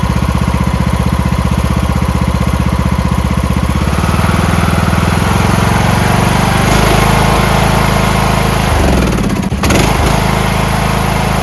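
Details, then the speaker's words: Craftsman MTD T1600 lawn tractor, first start after camshaft with ACR replacement: steady even single-cylinder putter at settled idle, no knocks or misses; runs smooth and healthy. "Let's go. Smooth as can be. That's idle."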